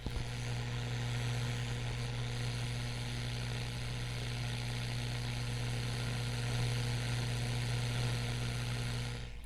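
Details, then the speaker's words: Panasonic RF-2200 radio after back-off repair, reassembled with external antenna, AM band at full volume: steady low hum under faint hiss, no stations though signal meter moves; AM reception still dead, shortwave only very faint. "and that's all I'm getting okay so am is not working"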